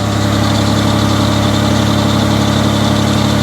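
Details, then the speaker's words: Mitsubishi Diamante at about 230K miles, running after its first tune-up and intake cleaning, smoking from cleaner, with an exhaust leak and a faint accessory squeal heard: a steady, even idle with a smooth low thrum and no stumbles or knocks. "listen to how perfect she's running"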